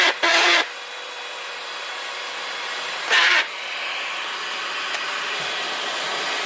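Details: Dibea C17 portable vacuum cleaner: a steady high motor whir with two brief harsher rattling bursts a few seconds apart. Intermittent rattle, cause unclear.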